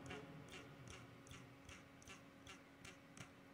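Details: MSI laptop fan with an off-balance, worn bearing, heard before cleaning: irregular ticking around two and a half per second over a faint steady hum, typical of a dry, dusty bearing.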